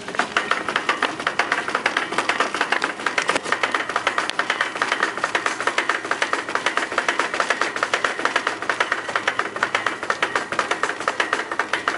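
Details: Shopping cart at Kroger with a broken wheel bearing: rolling wheel taps out a steady, rapid clatter, about four sharp clicks a second, annoying through the store.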